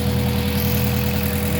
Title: Palyadong makina o Misfiring? || MAZDA 3 || Gasoline Engine